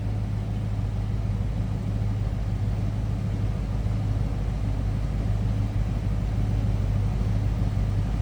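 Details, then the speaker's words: 1990 Ford Mustang ASC McLaren convertible, 5.0 L V8, idling after start: deep, throaty exhaust with steady beat, no ticks or stumbles; normal V8 idle. "Nice deep throaty exhaust though. No doubt about that."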